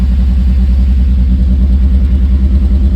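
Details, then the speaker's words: Mazda Miata with CEL P0118 (coolant sensor reading -40°F, no connection), after an earlier P0111: fast idle climbing past 2,000 rpm (up to 3,000) with uneven fluttering and dropping, traced to a coolant temperature sensor circuit fault. "Doing a lot out there. 2000 and climbing. Stopped shaking, but it's still going up."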